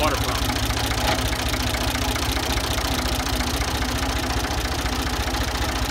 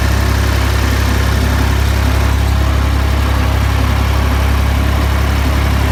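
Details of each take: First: Ford 2000 diesel tractor with bad injectors, running on Diesel Purge: rough idle with an uneven rattling knock a bit over twice a second. Diesel knock from the faulty injectors. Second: Ford 2000 diesel tractor after running on Diesel Purge at varying rpm, now back on diesel: deep steady clatter with even beat for fifteen seconds then settling lower; smooth idle, injectors appear cleaned up.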